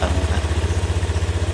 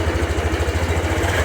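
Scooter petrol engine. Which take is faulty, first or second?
second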